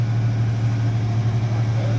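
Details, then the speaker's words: 1989 Mitsubishi Pajero V6 idling after its cracked, warped stock exhaust manifold was replaced with Australian-made stainless steel extractors: smooth, even low rumble, steady idle beat, no ticking or puffing; leak fixed, quieter and sounds way better. "yeah dude it sounds way better [Music] way better it's quieter"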